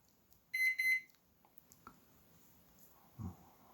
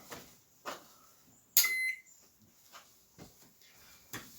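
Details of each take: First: Microwave oven with door latch broken from slamming: three quick high beeps when started, then no magnetron or fan hum; owner suspects top door switch not making contact; beeps but will not start. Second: Microwave oven with broken door latch from slamming, new 15 A fuse fitted (owner unsure it should be 20 A), switched on at the wall: one short high beep amid handling clicks; power present, normal power-on beep.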